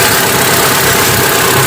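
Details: Hyundai Atoz GLS 2001 petrol engine at idle, AC off, just after an oil change to thicker 20W-50 as an experiment: steady, even idle hum with no knocks or ticks.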